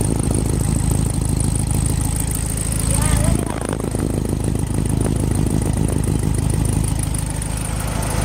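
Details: 1972 VW Beetle started for the first time after sitting over three months in wet weather, battery charged about three hours, starting fluid in the carb: a low, steady air-cooled chug with one brief rattle. Running normally.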